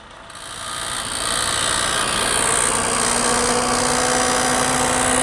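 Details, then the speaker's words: Maruti Swift petrol, engine running with AC switched on: rapid even rattling "kid-kid" noise and thin whine from inside the compressor, AC not cooling; quiet with AC off; expansion valve, cooling coil, condenser already checked; internal mechanical compressor fault. "ये देखिए AC on करने के बाद में compressor के अंदर किड़किड़ की ऐसी आवाज़ आती है, और एसी ऑफ करने के बाद में एकदम बढ़िया इंजन चलता है इसमें।"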